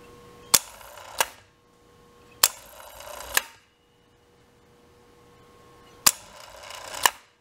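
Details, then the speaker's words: Wrightway hoist electromagnetic brake after a burnt coil was replaced: crisp paired clacks as the magnet pulls the plate off the disc and drops back. The brake engages and releases properly; the lift is repaired. "working so you can see it's pulling back the uh the plate away from the shoe so I think the lift is uh repaired"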